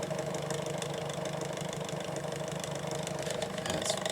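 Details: SMC TF-6 6-inch 2-speed desk fan, likely late 1990s, extremely high hours: steady motor hum with a loose, uneven rattle from worn motor bearings with excessive shaft play. Also somewhat out of balance.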